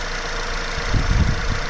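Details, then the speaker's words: Vauxhall Vectra C 2.2 direct-injection petrol, after refitting the fuel pressure regulator: steady, even, quiet idle with smooth low rumble, no misses, knocks or hunting; reportedly idles happily but stalls on the road. "Yeah, looks alright. That sounds pretty good. No leaks. Nice and quiet. There we go, so that's it running. It seems to be quiet enough."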